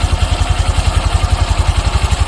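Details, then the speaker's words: Honda Wave 125 LED with idle-stall complaint, idle-speed throttle screw being turned out little by little: engine speeds up to an even, steady single-cylinder idle, about nine beats a second, no hunting or misses; idle now set right. "อ่าเครื่องเริ่มเร่งขึ้นมาแล้วครับผม"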